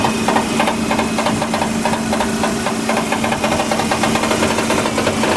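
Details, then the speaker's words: 1995 Eagle Summit wagon, rebuilt 4G64 at idle: fast light rattling ticks over a steady idle hum, more vibration than usual. Owner thinks the engine lacks balance shafts and points to the hood prop rattling from engine shake. "I'm holding the hood prop because I don't think this engine has balance shafts, and at idle there's more vibration. There's more vibration than usual."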